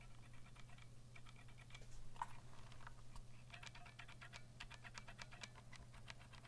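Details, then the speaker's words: Vortex Cypher keyboard with stock Cherry MX Silver switches, typing test: sharp uneven key clicks over a low hum, some with a faint metallic ring and scratchiness; spring ping from unlubricated switches, lubing springs and stems suggested. "you can hear the ping on the spring on that hedge key whereas the G key doesn't have it but you can know it doesn't really but you can hear that scratchiness on that so you probably want to do some kind of lube job on it if that was an option"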